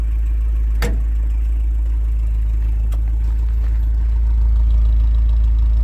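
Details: 1982 Ford Transit Mk2 with a 2.0-litre Pinto petrol engine on mineral oil, already warm from running a while, settles into an even, steady low idle with a regular beat, no knocking or misfire; normal idle.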